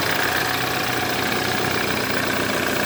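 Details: BMW F10 N20 engine at idle after timing chain replacement: fast, rattly, bright metallic chatter; noise persists, origin unclear.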